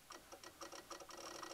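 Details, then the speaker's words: Chevy/GMC truck with reduced engine power, key on; wiggling a small black ground wire on the passenger side of the intake makes quick irregular clicking bursts as the fuel pump relay and possibly other relays chatter. Broken ground wire. "so the noise the noise that you're hearing the clicking sound is the fuel pump relay actually maybe a couple relays in the in the relay box there"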